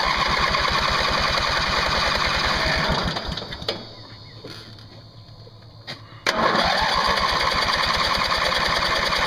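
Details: Craftsman mower's 20 hp Briggs & Stratton Platinum Series flathead cranked with ether (starting fluid) sprayed in; starter spins about four even compression pulses per second, stops, cranks again, never fires: cranks but won't start. Owner suspects a valve problem; fuel flow unchecked.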